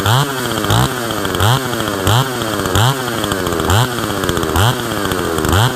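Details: Husqvarna 162 SE chainsaw revived after sitting for years, with a tampered muffler: crisp throttle blips, revs climbing cleanly and falling back to a steady idle; saw runs strong and even.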